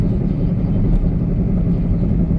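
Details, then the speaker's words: 2008 Honda Civic Hybrid on a test drive; a steady low droning hum under road noise while cruising, which doesn't change when turning. Wheel bearing noise, front or rear not yet identified. "But that noise you hear is a wheel bearing noise."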